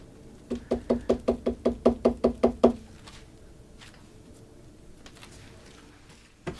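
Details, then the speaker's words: 1966 Fender Deluxe Reverb combo cabinet: a quick run of about eleven hollow, slightly pitched knocks as the loose logo emblem vibrates with play and hits a screw. "Not sure if you can see that, but it's got a little bit of play and it's vibrating back and forth and it's hitting that screw."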